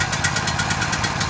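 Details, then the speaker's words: Powerhorse generator small engine after carburetor replacement, first run in over a year, choke on: short, choppy, uneven putter about ten pulses a second, labored and smoking hard as if struggling. "like it's struggling let it run for a minute now this engine hasn't run in well over a year"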